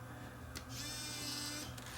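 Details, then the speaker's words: Sony BEV8 8mm tape rewinder on 6 V, after freeing a jammed small motor that made it run only fast forward: short mechanical clunk, then smooth steady motor whir as tape loads and rewinds; working normally after repair. "Now if I push the rewind button, it should go into rewind. I think I gotta push a switch to tell it that there's a tape in it."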